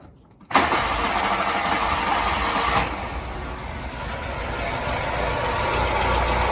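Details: VW Polo Mk2 with a Pierburg 1B running problem, after fitting a Vauxhall Nova carburettor with the original throttle mechanism: engine catches immediately after a short crank and settles into a steady, even idle; normal start and idle.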